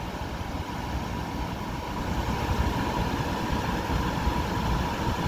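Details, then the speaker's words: Coleman basement A/C, about 23 years old, on a 1997 Vectra Grand Tour motorhome after leak repair. Steady low hum and whir with no knocking or cycling as the second-stage compressor kicks in after the first (8 amps) and the outside blowers go high; compressor running normally. "there goes the second one and outside blowers should be on high now"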